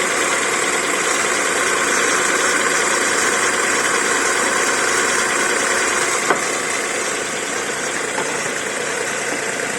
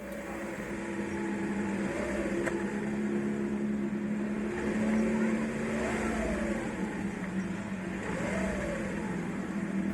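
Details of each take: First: VW Polo 9N with a 1.2L AZQ engine idling with a dry whirring rasp and faint whine from the accessory-belt idler pulley bearing; the noise remained after WD-40 was sprayed, then went away. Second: VW Polo 9N 1.2L AZQ engine idling evenly with a low steady hum and no squeal or chirp, after spraying WD-40 on the accessory belt idler pulley bearing with engine running, a temporary fix.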